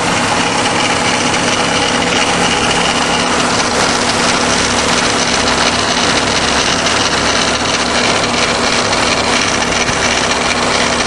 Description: grinding noise coming from around timing belt cover area on passenger side..........what is it??